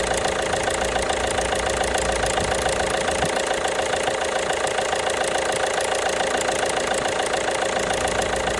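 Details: 1.5 BlueHDi (DV5RC) diesel at steady idle with fairly regular knocking about three or four per second; engine knock, source unknown.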